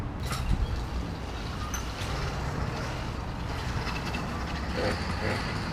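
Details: 80cc two-stroke motorized bicycle after broken-axle repair, re-laced trued wheel, new idler pulley on chain tensioner and stripped bolt fixed: steady even buzz with no knocks or rattles over street noise; runs healthy.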